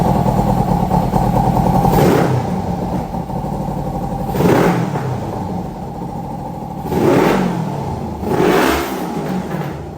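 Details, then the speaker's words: 2003 Kawasaki Ninja 500R twin swapped into a minibike, just retimed, dual carbs refitted and still needing carb tuning: it settles to a steady idle between clean throttle revs; normal running and revving. "We got it to idle and rev out decent. It needs a bit more, but I'll fire it up and rev it for you guys a bit."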